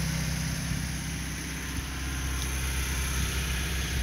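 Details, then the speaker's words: Old Toyota pickup four-cylinder at idle as fan clutch slows: steady, smooth low idle with light fan whirr, no knocks or misses; exhaust manifold not cracked, perfect running example. "it's a perfect running example it's going to idle down here once the fan clutch kind of stops moving the exhaust manifold's not cracked"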